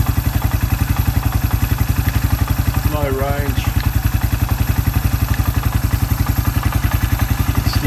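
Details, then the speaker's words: Suzuki Quad Runner 250 single-cylinder after restoration, exhaust refitted and new TC crank oil seal, running through low range, reverse and high range: steady, even low thump, no clunks or grinding; gearbox runs through all its cogs properly. "Transmissions running through all its cogs properly exhaust I think it sounds all right"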